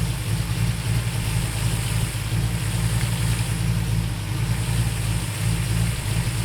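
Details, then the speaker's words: 1968/69 Ford Torino GT 390 FE V8 idle after vacuum advance adjustment: lumpy idle surging and sagging; timed spark port showed vacuum with idle screw fully out, owner suspects accelerator pedal holding throttle open; carburetor idle mixture screw then adjusted. "you hear how unstable the motor sounds it's just oh man something was bugging me"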